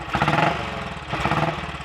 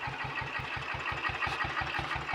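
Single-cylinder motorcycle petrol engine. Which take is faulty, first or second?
second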